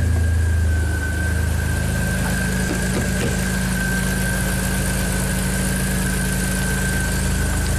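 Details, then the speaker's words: 2005 Audi A4 with 2.7 turbo V6 swap, reassembled after the crank no-start fix of permanently jumping two pins: fires up to a steady smooth idle, even low hum with faint constant accessory whine. "Alright, last check here. Vehicle's put back together. Fires up and runs."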